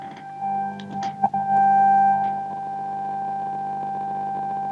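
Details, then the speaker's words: 1950 Telefunken Musical 9650a valve radio after electrolytic capacitor replacement: an IF test tone fed into the antenna comes out of the speaker as a steady clean whistle, showing the IF, detector and audio stages work. "Nosotros estamos metiendo ese pito por antena y lo estamos sacando lógicamente por el altavoz. Entonces parece que pasa todas las etapas."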